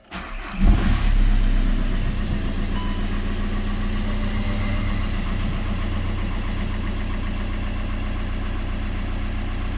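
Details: 2004 VW Golf V 1.9 TDI BKC, 105 hp, 6-speed manual, after replacing the failed original KKK turbocharger: catches within a second and settles into a smooth, steady diesel idle with even clatter and no whistle or rattle.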